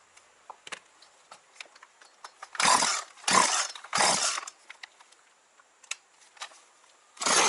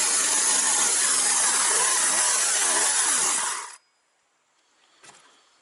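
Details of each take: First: Partner 351 two-stroke chainsaw, previously stalling off choke, after carburettor disassembly and adjustment with idle raised: fires and revs in short throttle blips, picking up cleanly without bogging; engine running normally. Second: Partner 351 chainsaw runs loud and fast on choke, then stalls abruptly when choke is removed; carburetor inspection found cracked intake adapter between cylinder and carburetor needing replacement.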